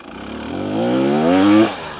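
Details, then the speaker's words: 2023 KTM 300XC TBI two-stroke near idle on a gentle uphill, no clutch: pulls cleanly and smoothly from the bottom with no bogging or misfire; healthy low-rpm response. "so we're almost idle you can hear it it pulls really really well right out the bottom and uh that's no clutch"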